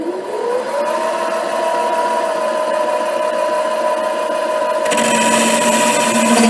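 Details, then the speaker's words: HiTorque 5100 7x16 mini lathe facing an old, probably cold-rolled steel bar; steady ringing squeal over motor hum during the facing cut, shifting as spindle speed is turned down: tool chatter. "Turn the speed down to see if I can get rid of some of that chatter."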